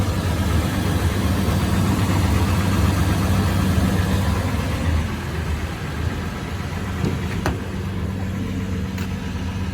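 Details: Toyota 4Runner 5th gen, engine near idle: fairly steady low knock about three times a second over the running note; cause unknown, owner asking for ideas.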